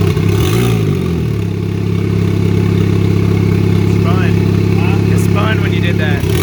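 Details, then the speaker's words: Turbo 2004 Chevy Cavalier, 2.2 L Ecotec, 57 mm turbo, at first start on two-year-old fuel with no sensors and the exhaust half-fitted: loud, rough idle drone with clatter; the wastegate is wide open, so exhaust bypasses the turbo. "the wastegate's wide open right now. So a majority of the exhaust, instead of going to the turbo and getting muffled, it's just bypassing it and coming straight out the exhaust."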